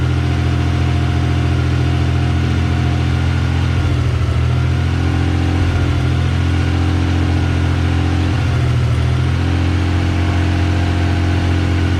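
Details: Freshly swapped-in JDM KLZE 2.5L V6 in a red Mazda MX-3, first start after swap: steady, even, smooth low idle with no knocks or ticks; runs cleanly first try after an initial slight miss from a loose wire was fixed.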